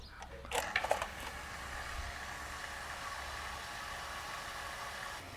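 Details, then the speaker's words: Household water pump that would not shut off after its tank ran dry and air entered the system. After re-bleeding the air, it hums steadily with no surging and cuts off when the outlet is closed; normal run. "เดี๋ยวลองปิดขาออกดูนะอ้าวได้ละได้ละโอเคใช้ได้แล้วทุกคน"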